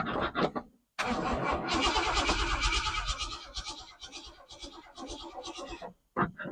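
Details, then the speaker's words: 1968 Ford F100, sat over 5 years, with a newly installed Holley carburetor, fresh battery and temporary boat fuel tank; first key cranking, about three turns a second, never catches; not enough fuel pumped to the carb; crank no start, fuel starvation. "Let's see if I can crank it up with the key. I don't see enough fuel getting pumped up in here, but let's see."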